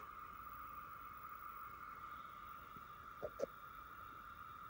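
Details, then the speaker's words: Sony DXC-325P camera, VTR units swapped: faint steady high whine with brief clicks persists, tied to the picture interference; suspected mechanical noise or component whine in the camera, unconfirmed. "I just swap the VTR units over and it's still making that sound. That's the interference I'm getting."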